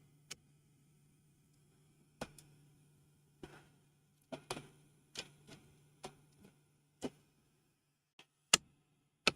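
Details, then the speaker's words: 3D printer with a Box Turtle setup whose extruder was rebuilt the day before, possibly reassembled too loose: sharp, uneven clicks about once a second over a faint motor hum. Extruder skipping on a filament jam. "Uh, my extruder is having an issue here. That's not good. I wonder if I screwed something up when I rebuilt my extruder yesterday."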